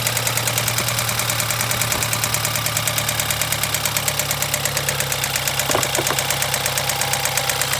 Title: BMW 2013 320i N20 Loud Ticking Noise